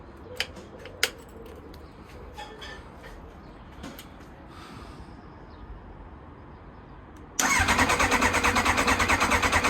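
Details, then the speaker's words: Kawasaki ZX9R left outdoors over four years, just after fitting a new fuel pump: quiet clicks, then steady starter cranking at about three beats a second with no catch; fuel is likely still reaching the carbs. Cranks but no start. "oh so the fuel is probably going to take some time to reach the carbs"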